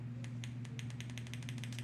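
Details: 1970 Pontiac Firebird with LS1 swap, injector bench-tested with direct power after cleaning clogged injectors (car wouldn't start): crisp regular ticking about eight times a second over faint hum; injector snaps open and shut normally.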